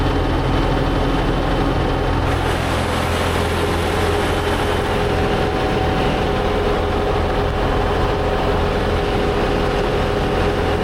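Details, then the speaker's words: Tractor-driven batwing brush cutter after gearbox repair with a $300 aftermarket part and new gear oil: steady even drone with no knocking, grinding or whine; driveline running normally, considered fixed. "I think she's fixed"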